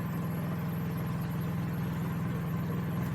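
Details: Honda EU3000is generator with aftermarket Huayi carburetor in eco mode, loaded with high-draw work lights: steady, even low hum with no misses or surging, speed easing down slightly at the end; runs flawlessly.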